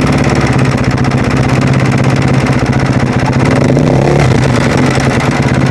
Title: husaberg - strange noise